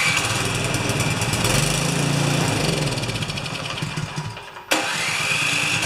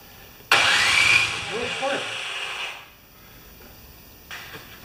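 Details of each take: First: Craftsman 24-inch 9 HP snowblower that wouldn't run, under repair with temporary wiring of the coil kill lead: engine sags and nearly stalls, catches again with a quick rise in revs, then settles into an even, steady beat; now running normally. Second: Craftsman 24-inch 9HP snowblower after a thread repair, primed and choked, gas on: couple of seconds of harsh cranking then silence, no catch; won't start.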